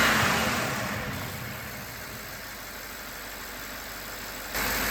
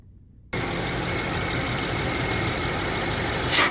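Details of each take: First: BMW 750Li after installing new BMW PCV parts: runs evenly and revs up cleanly, holding steady with no hiss or suction noise, whistle gone; noise under oil cap is normal vacuum pump sound; normal revving. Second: BMW 750Li idling after its first drive: a thin, constant high whistle from the engine, despite all PCV components having been replaced. A PCV issue is suspected.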